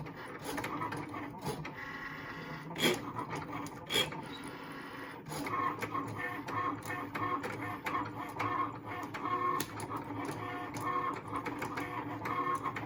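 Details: New Cricut Maker, bought 2/6/21, grinding from first use when the blade is near the middle: dry, raspy grinding with scattered ticks under the cutting motion; carriage rubbing, cause unknown.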